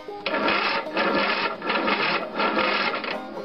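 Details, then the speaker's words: Long-sitting free riding lawn mower on a big battery plus charger, clutch-brake pedal pressed: heavy, labored starter chugs, about four slow turns in three seconds, never catches; slow, weak, draggy cranking. "I was very curious if it cranked, so I hooked a battery charger to it, and it did turn over a few times, although it does act kind of draggy when it does. I put my foot on the clutch brake pedal and turn it over so you can hear it."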